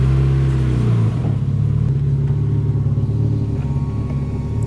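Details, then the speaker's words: Honda CRX idling after Radium fuel cell and surge tank install: steady low idle with only a faint, even hum from the enclosed fuel pumps, no ticks or whine; fuel pressure 40 psi; healthy. "a mild hum because it's all enclosed."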